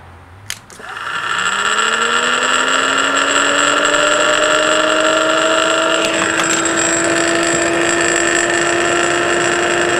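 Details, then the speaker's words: Rebuilt forklift motor for a Geo Metro electric conversion, run unloaded on 12 volts after reversing rotation; winds up to a steady hum with a light rattle and wobble, something not balanced, cause unknown pending teardown. "there is a little bit of a wobble and a little bit of a rattle in there um something is not quite perfectly balanced"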